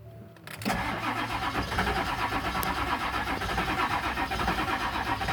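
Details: 1999 7.3 diesel wrecker with new crankshaft position sensor and new ECU: starter turns at a steady four beats a second but never fires; no-start, cause not confirmed.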